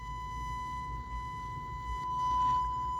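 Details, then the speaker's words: Thrift-store JVC A-X40 integrated amplifier, 50 W per channel, before restoration: left-channel sine-wave test tone sounds harsh and buzzy, cleaning up a bit as volume rises; scratchiness suspected in the volume pot, not confirmed. "It does clean up a bit as the volume control goes up, but there's some definite scratchiness, probably in the volume pot."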